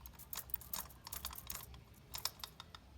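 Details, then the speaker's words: Motorcycle drive chain that is slack and dry, making uneven dry clicks and a light clatter; it is to be tightened. "Ela tá um pouquinho fogada. Que que a gente vai fazer? A gente vai apertar ela em casa mesmo. É, e também ela tá um pouco ressecada."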